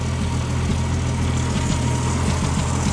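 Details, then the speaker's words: 1977 Ford F-150, 4.9L 300 cu in straight six: low, lumpy idle with occasional uneven beat, a slight miss at idle only, at full temperature; no stalling or acceleration issue, cause unknown, forums suggest normal for the Ford six. "If any of you guys have a straight 6 300, and you can figure out why it's got that, like, what sounds like a miss at idle, put it down in the comments."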